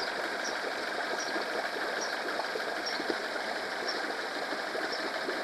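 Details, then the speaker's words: Honda 8 hp four-stroke outboard after carb cleaning and idle adjustment for ethanol fuel problems, run in a bucket: quiet, even buzzing idle holding about 1500–1580 rpm with no hunting or stalling; healthy. "so it's all automatic I didn't even do anything it just stay here and sounds like the 1500 is this good 1560 1580 good speed for idling"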